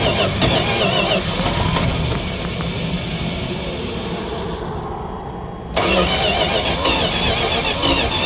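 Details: Dodge 318 V8 that died while driving; spark and fuel present, new ignition coil fitted, cooled and tried on ether: uneven cranking around three and a half beats a second, irregular puffs, no firing; exhaust blowing back through carburetor.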